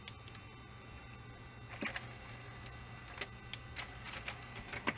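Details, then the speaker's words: Original Xbox, likely version 1.2, previously flashing and failing to power on: faint motor hum and crisp clicks as the disc tray travels and latches, no grinding or stalling; tray working properly. "if this thing Powers up so good so far and the drive is actually opening and closing properly right now"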